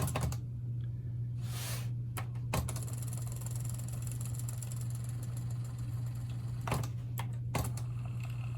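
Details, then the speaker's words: Carver TD-1700 cassette deck (Aiwa-made) after reel-drive repair with double-wall adhesive heat shrink on a pulley, a stopgap until a new pulley is found; steady low motor hum with control clicks, no squeal or grinding; normal tape transport operation. "And it does. So hopefully that holds up. We'll see."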